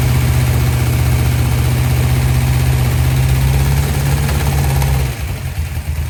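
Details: 1972 Dodge D100 V8, first start after solid roller cam and Speedmaster 265cc head swap, timing not yet set. Loud deep idle, uneven lumpy beat about four per second, cutting out near the end: rough running, cause not pinned down.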